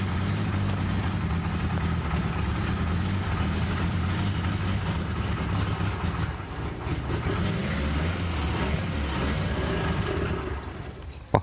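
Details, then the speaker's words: Zebra 1.3 car dying at small throttle and hard to start: low, lumpy uneven idle that sags and nearly dies; rough idle from dirty carburetor jets, carburetor later disassembled to clean. "ini terjadi keluhan kalau gas kecil mati Lur ya dan hidupnya juga susah ya"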